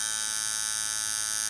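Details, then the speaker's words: Camber Custom coil tattoo machine set to 7.5 volts with a fairly long throw: bright, steady electric buzz with even pitch, clean cutoff, no rattle or stutter; running well-tuned. "so let's put this back to 7 volts actually let's put on 7.5 so this is how it's running at the moment"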